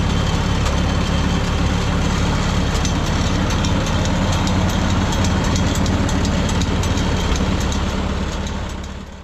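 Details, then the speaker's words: 1951 Farmall M tractor petrol engine, after changing to Autolite spark plugs, running mostly evenly and much smoother but with a faint, occasional tiny miss and pop; coolant was also found in the oil. "so it's actually running pretty darn good at this point mostly because of that spark plug change but it's not perfect I'm still getting an occasional tiny little Miss and pop here in there"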